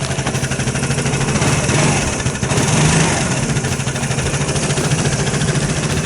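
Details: 2008 Vespa S 125 that sat about a year and would not start, after carburetor cleaning, running cold on its automatic choke: an even single-cylinder putter with a brief rev blip that settles straight back, no misses or knock. Normal idle.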